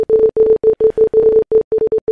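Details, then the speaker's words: Headphones, not the PC, repeat mid-pitch beeps in uneven bursts while the mouse crawls with no keys held; Naga Hex mouse, ctrl bound to left click, also happens randomly in games, forcing restart; cause unknown. "the headphones will start beeping not the actual computer itself the headphones will just play beeping noise over and over again"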